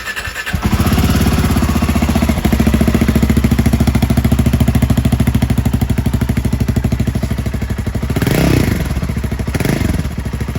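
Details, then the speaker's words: Royal Enfield Himalayan 450 single-cylinder after the catalytic converter was replaced with an AEW straight-through mid-pipe: deep, even thump at idle with a couple of clean throttle blips; exhaust sounds healthy. "I thought it sounded pretty good."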